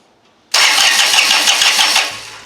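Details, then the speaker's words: John Deere 455 diesel lawn tractor after a bad brake switch was found and plugged back in: starter spins the engine in a steady whirr with no clicking, cranking normally; the starter solenoid is still energizing weakly. "cranks over now now we got to tackle this solenoid cuz again when I turn the key on it's not energizing enough it's weak"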